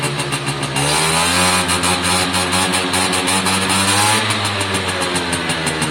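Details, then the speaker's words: Suzuki AP50 two-stroke after a carburettor clean, revs built up: sharp, steady scream held at full throttle, pulling clean with no stutter or cutting out; normal high-rev running. "when you build it up massive top end so listen to it scream"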